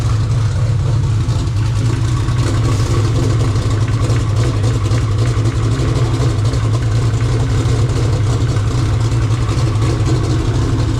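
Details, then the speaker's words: 2000 HP Mod Motor race V8, warmed toward 140° working temperature; deep loud steady lopey idle, no knocks or rattles; normal idle. "Oh, she starts, Josh. Yeah, boy. Sounds good too."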